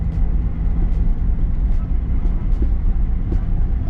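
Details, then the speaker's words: Nissan 350Z rolling slowly to the shop on tires last changed in 2016: heavy thump about every 0.8 seconds over road rumble, car bouncing and shaking; owner suspects a tossed belt in a tire from racing, unconfirmed. "crazy how bad the car is it's it's just like boom boom boom boom boom I'm praying that it's a belt in the tire"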